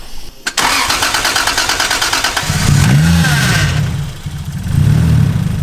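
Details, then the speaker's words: Skyline engine after refitted coil packs: it cranks briefly, fires and blips up through a couple of even revs with no stutter or missing; it runs healthy, so the fault was likely just the plugs. "Sounds pretty good to me, guys. So I guess it was just plugs."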